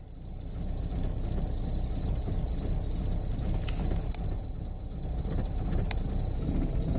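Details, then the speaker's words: Opel Zafira 2.0 TDI diesel warming up, heavy smoke: idle clatter swells and fades every few seconds as the rev needle dances on its own, dropping from about 1000 to 800–900 rpm; hunting idle, cause unconfirmed. "Là maintenant ça fait un petit moment que l'aiguille commence à danser toute seule. Tout à l'heure elle était au 1 et là elle redescend. Elle est environ à 800 ou 900 tours."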